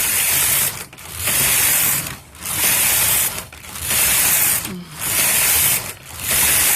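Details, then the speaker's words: Toyota 901 knitting machine main bed, carriage set to slip stitch (empty setting): loud rasping ratchet sweeps about a second each with short quiet turnarounds; sounds like it could fall off but the carriage is passing normally. "Now, without changing anything else, we're going to switch over to empty, which just really bothers me. It sounds like it's going to fall off, but since it's slip stitch, not really empty, we're good to go."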